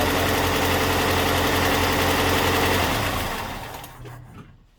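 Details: Datsun truck after an engine bay overhaul, warm idle: quick, even tick about four per second; owner suspects valve tap or the fuel pump.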